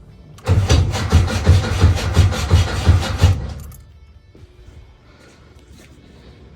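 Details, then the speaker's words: 1970 VW Bug with engine swapped from 1971 Bus, 2110cc dual carbs, first crank in neutral on jumper battery; uneven cranking pulses near three per second, quits without catching; owner suspects mixed-up spark plug wires. "what was that sound didn't sound too good unless they mixed up the spark plug wires give it another try"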